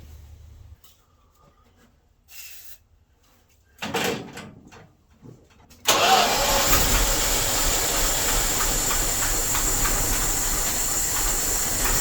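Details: Dodge W300 Club Cab V8, old wiring, during parts replacement: catches after a few seconds and settles into a lumpy, stumbling idle; still misfiring, bad condenser suspected next.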